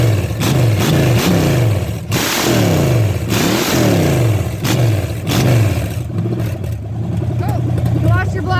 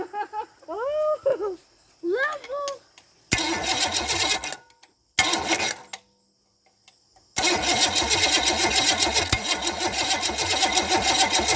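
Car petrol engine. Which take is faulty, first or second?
second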